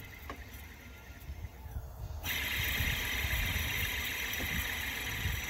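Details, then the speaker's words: Serpentine belt tensioner removed from car and spun by hand: dry, gritty whirring hiss with faint squeaky edge; worn tensioner pulley bearing confirmed as squeak source, replaced with identical new tensioner. "can hear that is definitely the source of the squeak"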